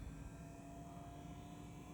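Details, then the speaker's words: VW with Eberspächer B2 gasoline heater, intermittent startup failure from metering pump sometimes not pumping: quiet steady combustion fan hum with faint whine as fan speeds up in start procedure before metering pump clicks on; normal fan startup. "here comes the starter procedure so you'll see it happen in here so the fan speeds up"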